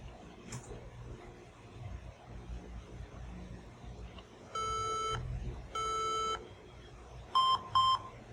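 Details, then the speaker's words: HP laptop at power-on after 15-second power-button hold: high-pitched beep code, long tones then short ones, Caps Lock blinking, still failing; suspected RAM, motherboard or BIOS fault. "it's still making the beeping sound and the capsul key is still blinking"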